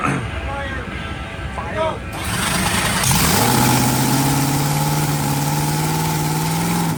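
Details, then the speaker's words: Top Fuel dragster engine after rebuild, first fire on alcohol: it fires and climbs to a steady, loud, even high-idle drone with a rising tone and no stumbles. Healthy. "That's alcohol. Right. Here we go."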